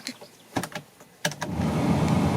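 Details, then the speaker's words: Renault Twingo 1 (2004) cabin blower motor after removing and refitting it to cure an abnormal noise at full fan speed: switch clicks through speeds 3-2-1-0 and back, smooth even rush of air with no rattle or squeal, normal blower operation. "3 2 1 0 et dans l'autre sens. Voilà, c'est nickel."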